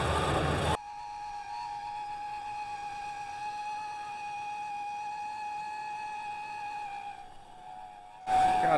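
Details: 1991 Ford Ranger 4.0 V6, engine running: loud steady high-pitched scream getting louder over time; owner torn between alternator bearings and power steering pump.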